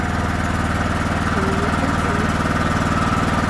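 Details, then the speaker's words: Backup generator run on gasoline (propane hookup not connected) with battery and idle-control switches on, started by holding the start button until it cranks; steady, even low thrum just after starting, no misses, knocks or surging: normal running. "Now you're going to push and hold this button. That's the start button until it cranks over, and then you let go."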